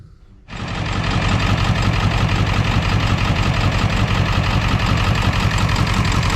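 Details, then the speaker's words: 2001 Ford F-450 7.3 diesel idling lumpy and loping on four cylinders (three dead passenger side, one driver side); codes P1316 IDM and P1271/P1274/P1275 high-to-low side open. It sounds the same with a swapped computer and IDM, so wiring or injectors are suspected. "i got her to fire up but she sounds exactly the same on a different computer in a different ibm so we're going to be into wiring or maybe injectors"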